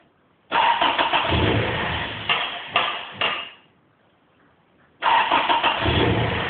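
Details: Smoking JDM Toyota 3S-GE: two long cranking bursts with ragged firing that dies away each time, never settling into an idle; cranks but won't start.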